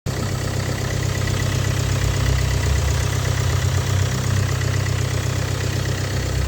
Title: стук на холодную.